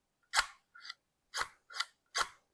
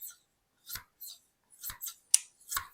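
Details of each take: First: Hand hedge shears that were sharpened once without success: five crisp metallic snips, each a short scrape ending in a late click, as the blades meet only at the tip; top blade has a kink and bottom blade needs more curve. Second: Hedge shears after sharpening and honing with compound on leather: crisp, clean snipping strokes with an even swish and no catching. The blades close fully and contact all along the edge; normal closing.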